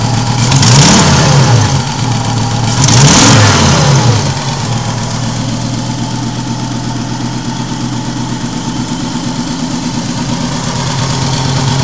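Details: Volvo 850 after a cylinder head replacement following a snapped timing belt, down on power: two revs, then a lumpy idle puffing about three pulses a second from a misfire and exhaust leak. Owner suspects exhaust cam timing is one tooth off, unconfirmed.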